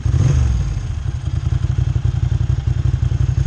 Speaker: Here you can hear it at idle. Kind of a lopey idle, that's good. There it is at 900 to 1000 RPM, just perfect.